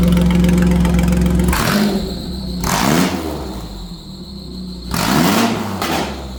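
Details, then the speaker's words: Nitrous Ecotec V6 Commodore race build running after Temu fuel cell, fuel pump and rear battery relocation, no fuel leaks; even idle then two clean throttle blips, no misses; sounds good, normal running. "Seems like a success. Runs again, so Yep. you reckon? How's it sound? Sounds good. Sounds pretty good?"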